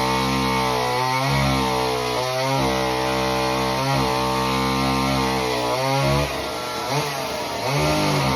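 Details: Homelite Super Mini chainsaw that previously wouldn't run, rev or idle, after repair: it screams high and steady, dips under each cut and picks straight back up. It runs healthy through a big log.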